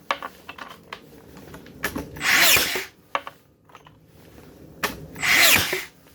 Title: Makita DBN600 misfiring